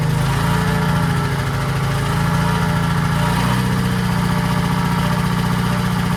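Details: 1940s Allis Chalmers D5/HD5 crawler, two-stroke Detroit 271 diesel after long storage, normal idle: low steady even beat, no knocks or misses; sounds good but smokes, owner suspects injector, plans replacing it.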